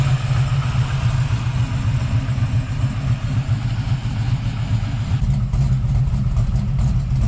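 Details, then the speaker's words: 1979 Camaro Z28 V8 after swapping the whining Pete Jackson gear drive for an Edelbrock double-roller timing chain, new balancer and water pump: low, steady idle burble with no high whine over it; front end quiet and healthy. "wow what a considerable difference I love it like I said it's going to be a lot more comfortable uh at cruising speed not hearing all that whining noise"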